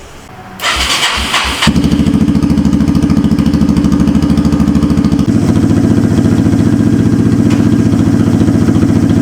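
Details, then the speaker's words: 1991 Yamaha Moto-4 250 ATV, a single-cylinder: a few cranking bursts, then it catches and runs with a loud, raw, unmuffled bark at an even beat. The muffler is rotted away to nothing. "that muffler is just gone I mean there's nothing left of it"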